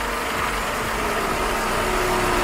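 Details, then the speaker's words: Engine (2011–2016 generation) at about 69,000 miles: a piston-slap knock under load; with the throttle released it drops to an even run and the knock fades to a faint tick; diagnosed by disconnecting injectors cylinder by cylinder. "Piston slap. Usually guys, you can hear it when the car is under low. When you give it gas, like climbing, especially a hill or give it gas, you'll feel it. Okay? So, let's give it gas now. And when you let off the gas, it will go away."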